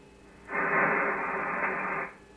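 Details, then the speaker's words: Kenwood TS-440SAT ham radio, microphone held near the speaker while tuned to a net: steady mid-pitched whine on the receive audio, varying with gain, then stopping. "you hear that whne let me put the microphone near the speaker there's a wine on my audio"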